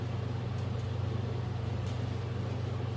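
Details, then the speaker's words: Replacement generator for a 1963 Ford Fairlane 260 V8, bench-motored: smooth, steady, fairly slow consistent whir, spins on its own without a push, unlike the previous unit's drill-like noise; normal generator spin. "definitely sounds a lot better the other one didn't make didn't make that near that noise like a drill and i'm doing it's pretty slow it's pretty consistent i don't have to start it with my fingers"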